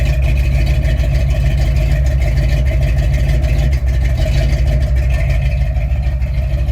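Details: 1968 Ford F100 360 V8 idling after a knockoff carb, blamed for its surging idle, was replaced with a rebuilt Motorcraft 2150. Deep, steady burble; an exhaust manifold leak is audible, and it idles up with the choke off. Smooth idle.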